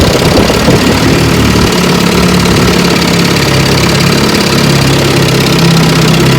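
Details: 1954 Johnson QD-15 10 HP two-stroke outboard after full restoration, on the water: steady even burble at constant pitch, no misses or knocks; idling cleanly.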